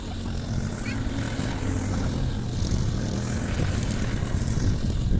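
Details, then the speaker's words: Briggs & Stratton Quantum engine on a Clipper lawn mower after spark plug work (previously wouldn't keep running after winter): steady drone holding speed cutting grass, no misses or surging; normal running under load. "there Run's perfect so that was a bricks and ston Quantum engine on the Clipper lawn mow yeah"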